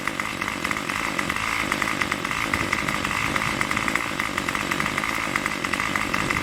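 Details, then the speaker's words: Craftsman Weedwacker trimmer 316.791191, MTD 27cc two-stroke shortblock, Zama C1U-P27 carb, after rebuild: high buzzy note holding steady near fast idle, tach jumping around 2700 rpm, no stumbling, no choke needed; normal running. "the porter it jumps around from around like let's say a quarter all that 2700 rpm I'll put I'm getting in that range here"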